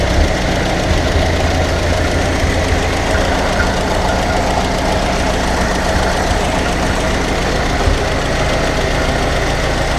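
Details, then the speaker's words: Ferguson TEA20 tractor, rebuilt engine, after adjusting carburetor mixture screws: loud steady low rumble at tick-over with no misses or hunting; normal idle. "Like a little kitten, isn't it? Purring like a kitten, as they say."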